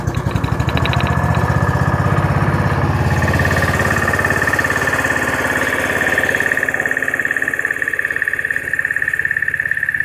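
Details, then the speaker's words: Honda-engined side-by-side ATV that ran rough, carburetor idle speed screw just turned down, started in neutral: quick busy idle, pulses near two and a half per second with whistle; still idling somewhat fast. "now she's running a little bit on the fast side"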